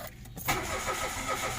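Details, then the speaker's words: Mitsubishi Mirage that suddenly became hard starting after days of forced start attempts: brief, weak cranking, then it catches and runs roughly with an odd internal sound. Flooded spark plugs are suspected and are being removed for checking. "Parang parang gusto niyang umandar. Tapos pag umaandar siya parang nakakaiba 'yung sound sa loob ng makina. Kaya titingnan muna natin kasi baka mamaya lunod na rin itong spark plug dahil mukhang ilang araw ng sinusubukan nilang ipinapa-start."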